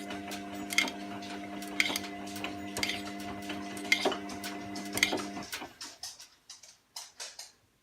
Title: Wash and spin and clicking noises